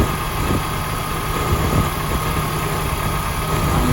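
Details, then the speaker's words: 2005 BMW X5 idling, before repair: low, even growl with a faint constant hum from the A/C compressor pulley bearings; A/C itself works and blows cold. "can hear it hear the poor song coming from the AC compressor bearings the AC work perfect"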